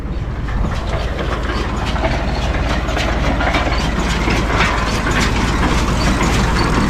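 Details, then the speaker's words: New Holland 644 round baler while baling grass silage: continuous rhythmic clatter, about three knocks a second over the drone. Described as typical of a New Holland baler; cause not stated. "Hear that? Oh man, that's typical of a New Holland baler."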